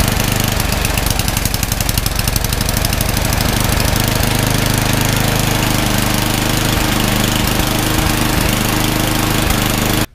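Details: Craftsman 31AE5HTG799 28-inch snowblower with a 9 hp Tecumseh Snow King engine, which sat unused for years, running on a newly installed carburetor. The small single-cylinder engine runs fast and steady with a constant putter, no surging or stalling, then shuts off cleanly.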